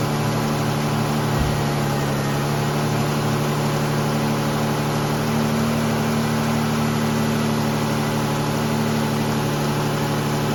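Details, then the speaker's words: Ford Escape 3.0 V6 after alternator replacement: smooth idle with a steady low hum and faint accessory whine, no knocks or stumbles; running normally. "All right, she's been running for about half an hour now. As you've seen, I put a cool load on it. Everything's doing good."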